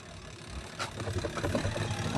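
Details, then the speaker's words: Single-tub spin dryer with a new gearbox and no brake, hum rising as it spins up, with uneven low rumbling and knocks; wobbles because clothes were left inside, an unbalanced load, and stops wobbling once emptied. "Gumigiwang-giwang lang siya dahil may laman pala."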